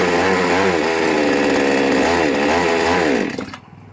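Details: New out-of-box Magnum G11 chainsaw after a carb re-tune of about 1.5 turns revs unevenly and surges when the throttle opens, then falls away and dies in about three seconds; it bogs and stalls before the carb restrictor is removed.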